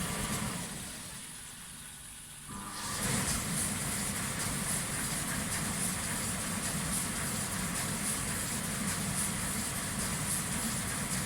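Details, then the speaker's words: Indesit 7 kg tumble dryer: the float microswitch drops and the condensate pump runs normally, a steady low hum with a watery hiss for about twelve seconds, then it stops. "agora tem bastante água eu acho dá para ouvir a água corrente né Acho que sim"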